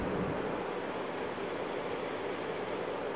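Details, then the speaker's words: CNC router spindle with onboard self-contained CPU-style liquid cooling loop, radiator, pump and reservoir: soft steady hiss mostly from control tower and spindle drive fans, no ticks, rattles or whine; normal quiet running. "most of what you hear are the fans on the control tower out you can even hear those little fans there the other fan that's running is on the spindle drive"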